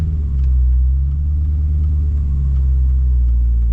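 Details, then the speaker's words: Pontiac GTO with twin-disc clutch under light throttle after a new differential mount: steady deep rumble, no clunks or knocks between gears; shifts smoother, power delivery more instant with less driveline slop. "It shifts a little bit smoother, and like the power delivery is a little bit more instant, because there was like, you know, there's always been a little bit of slop in the driveline, but yeah, it feels different."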